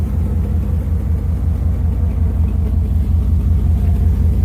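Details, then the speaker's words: Truck with new exhaust headers and the muffler deleted, straight pipe from the cat: a deep, steady exhaust rumble with an even beat and no clanking. Engine running normally, the earlier clanking gone. "you can't really hear that clanking anymore so that's nice"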